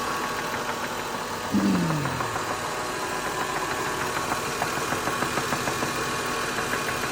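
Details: 2003 Lexus GS300 at steady idle: faint, uneven knock repeating about three times a second; cause unknown, needs checking.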